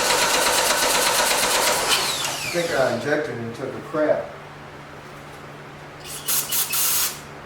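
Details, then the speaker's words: 1989 Dodge Daytona ES, with the injector back in: fast even starter whirr about two seconds, never catches; gas still pouring in, owner suspects injector, plans a new one and lets the starter cool; cranking, no start. "i think we might have an injector problem because uh it is really pouring the gas over in there even with the injector in there now it's it's just like i'm just pouring gas with a gas in the cup which is strange so"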